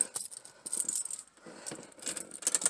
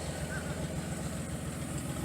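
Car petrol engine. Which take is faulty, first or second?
first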